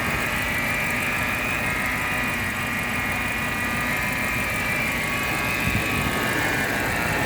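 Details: BMW X5 4.8i with N62 V8 at idle: rough, busy idle with a faint thin high moan or whine at steady pitch; source of the whining noise not yet identified.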